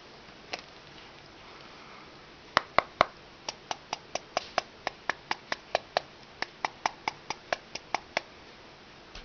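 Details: iPhone 3GS: sharp dry crackling clicks, about two a second, from the upper back cover as the handset moves, likely a loose internal part; removing the SIM card doesn't help.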